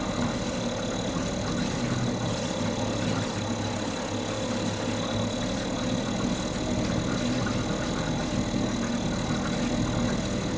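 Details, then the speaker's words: Mercury 2.5 hp two-stroke outboard that sits for long periods and wouldn't stay running, now running after carburetor troubleshooting: steady, even buzz with a smooth low drone and no misses or surging, holding at various RPMs; normal running. "the engine just sits here runs at all different RPMs for as long as I need it to"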